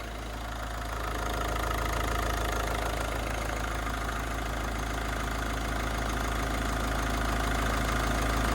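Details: Ford Focus diesel after cam cover refit: steady, even idle clatter with constant tick and no misses or knocks; no leaks, no dash or oil pressure lights, running really nice.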